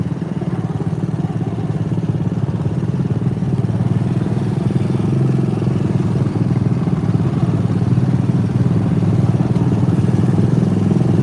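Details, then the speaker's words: Riding mower: uneven, lumpy putter at about four beats a second with gaps in firing, sounding barely on one cylinder; misfire, cause unconfirmed. "Oh, he sounds like he's running on one cylinder. Oh, barely on one cylinder."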